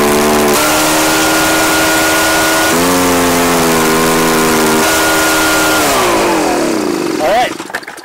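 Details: Echo PB-755ST two-stroke backpack blower on fresh two-stroke mix with Seafoam after stale fuel, before carburetor adjustment. The buzz steps up and down in pitch instead of holding, then sags away, still hunting for speed.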